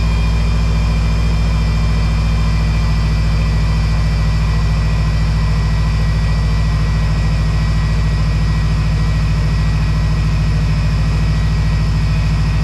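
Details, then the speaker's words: 2012 Subaru Impreza STI after replacing leaking power steering lines, refilling fluid: steady idle with a thin, constant whine above it; air trapped in the power steering system makes the pump moan, wheel wiggling while bleeding continues. "oh yeah the infamous sound and right off the bat I don't see any leaks yet so let's fill this thing up I know it's loud I'm sorry"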